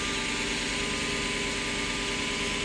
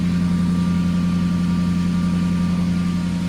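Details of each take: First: Lexus SC400 V8 after addressing cylinder 7 misfire, suspected oil-fouled plug: steady even idle hum with no stumbles, check engine light not back after a couple of minutes. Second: Lexus SC400 with code P0307 on cylinder 7, shaking at stoplights and traction control light blinking: a low idle with an occasional deeper, stumbling beat from the engine and exhaust. Cylinder misfire.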